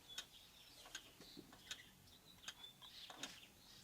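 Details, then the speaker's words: Antique Vienna Regulator wall clock after installing the movement and time-side weight, with the ticks amplified. Crisp, evenly spaced ticks with no limp; the beat meter reads 2%, so the clock is in beat and will run well. "You can see and listen, and that's even. My meter says it's 2%, which means it's going to run great."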